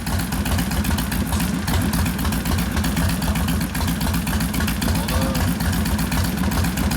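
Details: 1972 Harley XL Ironhead Sportster bobber with rebuilt engine (after wasted pistons and pinion bushing): lumpy, loping steady V-twin idle with no top-end ticking; running fine.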